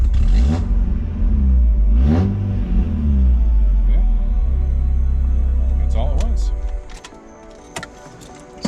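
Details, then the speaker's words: Mazda MX5 Miata after installing a Deatschwerks DW200 fuel pump and fixing a non-running fault: engine catches quickly, blips once or twice, settles into smooth even idle with good oil pressure; normal start and idle. "yeah it starts right up nice and smooth good oil pressure"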